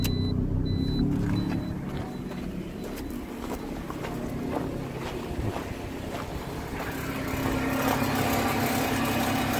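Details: 2012 Toyota Corolla on blocks in drive, front wheel spinning: rough rhythmic rumble from a worn front wheel bearing, heard as a weird noise while driving and still present in neutral; CV axle swapped first, then hub/bearing assembly replaced.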